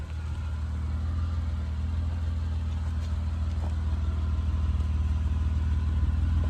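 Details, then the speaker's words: Honda Ridgeline after a power steering rack replacement, with the reservoir filled to the mark while the wheels are turned to work out air: a low, steady hum with no pump whine or groan. Steering sounds normal and healthy. "sounds. That's what we like right there."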